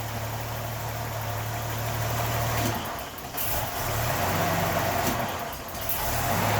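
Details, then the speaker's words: 1981 Datsun 280ZX, non-turbo, 80,000 miles, stored since 1991, cold start: fuel pressure rises from 35 psi at idle to 40 at about quarter throttle as idle sags twice, sputters, backfires and nearly stalls before recovering; cause not yet found. "you can see the car wants to die when i give it throttle [Applause] so that was probably quarter throttle our fuel pressure went up to 40 and the car just kind of sputtered"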